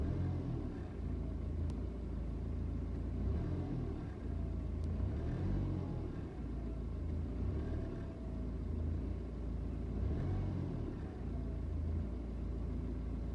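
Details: BMW 320d N47 diesel at idle: uneven, lumpy beat with revs rising and sagging every few seconds. Suspected misfire; idle jumps when the revs come back down, blue smoke and a strong smell on cold start.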